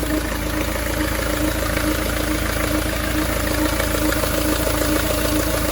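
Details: Vauxhall Vivaro 1.9 diesel idling with a newly fitted power steering pump whose pulley fit was in doubt. A steady mid-pitched whine rides over the clatter from the pump area; the pump was found to be defective.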